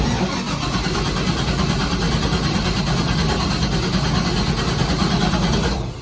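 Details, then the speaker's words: LS3 V8 airboat engine, with a pop and backfire heard from the passenger side: it catches and holds a loud, lumpy, uneven idle that never smooths out. It is running much worse than before, consistent with one dead cylinder. "So I fired her up, and she ain't wanting to run worth a crap. It wasn't running near this bad, but we completely got a dead cylinder here."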